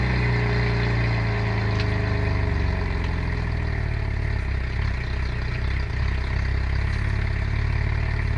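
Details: 2011 Cadillac CTS with LFX swap, ported throttle body, K&N intake, Overkill tune, resonator and cat delete, new timing chain, cam sensors, coils and plugs: cold start gives a loud, stumbling misfiring idle; cause unknown.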